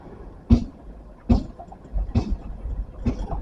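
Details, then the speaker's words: 4WD engaged and crawling slowly toward a river crossing: sharp clunks roughly every second over the engine from the front automatic hub diff lock ratcheting, less noticeable at higher speed; normal automatic diff lock ratcheting at low speed. "That's the ratcheting noise you get. Obviously, it's less than that when you're going faster, but when you're going slow, that's the ratcheting noise you get."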